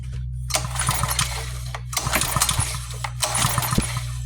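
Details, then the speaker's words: Yard-sale pressure washer engine, carburetor resealed after someone lost the seals: short bursts of pull-start cranking with no firing; no spark, suspected moved wire upsetting the switch and grounding through screws. "We're not getting a spark. I think what it is might be that I've moved this wire and messed up the switch, and it's grounded with these screws."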